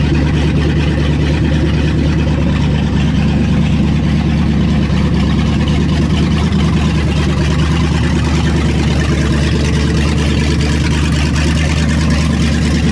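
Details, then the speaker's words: V8 after long storage, warm at 190 with oil pressure dropping slightly: deep steady idle with a mild rise-and-fall surge, cause not pinned down; a tune-up is likely. "got a little surch to it too got a little bit of a surge to it but did just get woken up from a very long nap"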